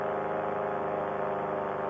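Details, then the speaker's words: Air Conception Tornado 280 paramotor two-stroke, freshly rebuilt after recall damage, gently broken in while climbing in flight at 6,200 rpm, below full throttle; smooth steady high buzz, no misses or rattles: normal high-rpm running. "6200 is what I'm running to that elevation is definitely my friend right now but I don't want to give it full throttle to get there I want to break this engine in nice and gentle"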